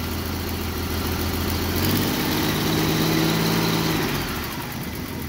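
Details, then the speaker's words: Free Jeep: revs climb smoothly, then after letting off the speed hangs and sinks slowly back to a rough, chugging idle and has to be helped down; an intermittent squeal from the rear; cause unconfirmed. "and then when i let off it has kind of a hard time going back to idle"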